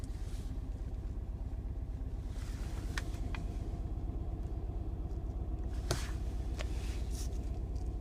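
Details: Mini R55 JCW with misfire codes P0301 and P0303: uneven, loping idle with a stumbling low rumble and irregular pulses; cause found to be a failing high-pressure fuel pump.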